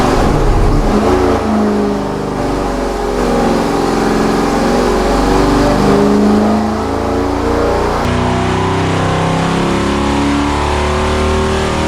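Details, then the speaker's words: 1970 GTX 440 V8 on the dyno, later full-throttle run, no rear seal oil leak: clean climb under full load, smooth rising note, no misses, knocks or rattles; 394 hp at 5,000 rpm, peak torque 493.4 at 3,300 rpm; healthy. "This one did a lot better. Here we go. At 5,000 RPM, we pulled out a 394 horsepower, and the maximum torque is at 493.4 at 3,300 RPM."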